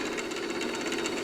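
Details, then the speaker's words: Old idler-driven vacuum-tube record player from Goodwill, first spin: fast busy chatter over a steady midrange drone as the platter turns unhappily. Owner suspects a hardened idler tire; all four speeds work, and some noise is a neighbour's snowblower outside. "So I was able to get the platter to spin on here. It's not particularly happy about"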